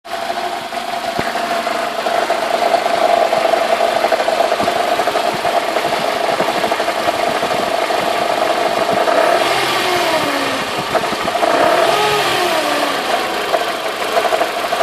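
A petrol engine idles with a steady metallic whine and rattle that swoops down after each rev blip. Cause suspected, not confirmed.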